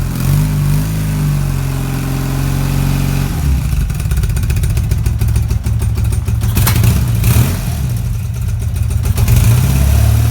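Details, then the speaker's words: BMW R80 cafe racer project: first start-up after the build, running quiet, original-sounding exhausts. Even, low throbbing idle with clean throttle blips and no knocks or rattles. Normal idle. "so as you can see as you can see is a runner fantastic it sounds sweet as you into some dead quiet as in a rattly sort of quiet thing these exhausts I think the exhausts are a little bit quiet as they are"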